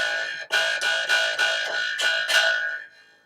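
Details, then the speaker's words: Bass guitar: seven plucks on the A string, each with a bright sizzling buzz over the note; rattle at the nut from insufficient break angle behind it, stopped by pressing behind the nut. "there could be a number of things that's causing it but I know it's none of the other things it's to do with brake angle over the back of the nut"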